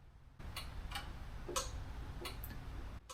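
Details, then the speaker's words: Ditch Witch 1820 trencher: quiet, irregular relay clicks, about six in three seconds, as the relay drops in and out. The interlock microswitch is slightly out of adjustment and needs to be slightly in the forward direction; the machine then cranks. "Not sure if you can hear that relay coming in and out or not, but it's slightly out of adjustment. You need to be a little bit in the forward direction to make it happy."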